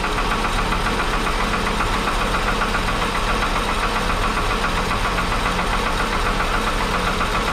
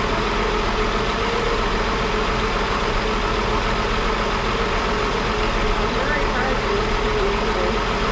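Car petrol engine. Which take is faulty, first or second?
first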